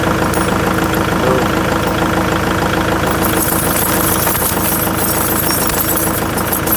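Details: Kubota MX5800 tractor diesel after ignition switch replacement: catches and settles into a steady, even idle clatter without stumbling or cutting off. Fixes months of the dash dying on cranking.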